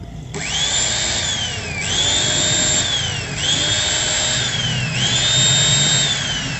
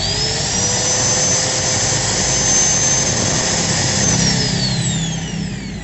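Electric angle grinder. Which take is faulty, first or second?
first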